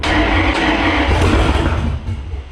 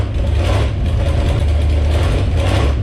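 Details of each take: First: Jeep Grand Cherokee drag-race beater, freshly installed engine, first fire on a splash of gas in the carburetor: catches and roars up, then eases off; rough note but no clanking or metallic knock. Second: Jeep Grand Cherokee drag-race beater V8, testing throttle linkage: loud lumpy note runs steadily, falters and surges once, then dies from fuel starvation because the leaking fuel pump was switched off.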